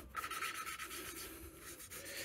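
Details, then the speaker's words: Yamaha SR125 cylinder head, lapping an exhaust valve by hand: coarse, gritty rasping with each back-and-forth twist, not yet evened out to a smooth hiss, so the valve seat still needs more lapping. "you're gonna hear the sound changing as you do this it's going to go from to s it's probably the best way that I can describe it"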